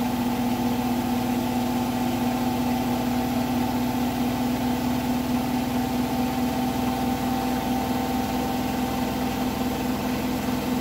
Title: Hotpoint bed + bath final 1400rpm weird knocking noise at 1400rpm